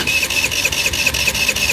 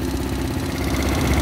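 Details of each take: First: Tao Tao Pony 50cc GY6 (139QMB) scooter on a wet day after shutting down on the road: steady starter churning with even compression beats, no fire, not even a puff; owner suspects a shorted CDI, unconfirmed. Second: Tao Tao Pony ATM 50 scooter, 50cc GY6 139QMB, restarted after a spark check; owner suspects wet CDI wiring caused the breakdown: small single cylinder catches and settles into a steady, even putter with no misses or knocks. Runs normally.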